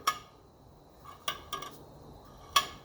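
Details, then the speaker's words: 1985 Mercedes 300D (W123) cleaned and fully restored fuel sending unit, reassembled and tipped by hand: light metallic clinks and rattles as the floats move freely, indicating it is working properly. "hear all the Bobbers moving perfect in there that is a cleaned up and fully restored fuel sending unit"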